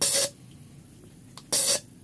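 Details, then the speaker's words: Nissan MR18 engine with a misfire: number 1 fuel injector bench-tested, giving two sharp hissing spray bursts about a quarter second each; its valve sticks and fails to close properly. "Kasi nag-i-stack up yung barbula eh. Nagsasarado, lumimintis yan."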